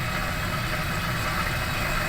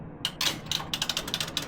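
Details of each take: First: Laundromat washing machine after replacing broken timer switch with donor part: even, steady hum with water rushing, no knocks or grinding; filling and running normally. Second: Laundromat washing machine started with the door latched; a rapid burst of bright, uneven ratcheting clicks, about four a second, with no motor underneath. The timer mechanism is slipping, and the timer box is suspected to have failed.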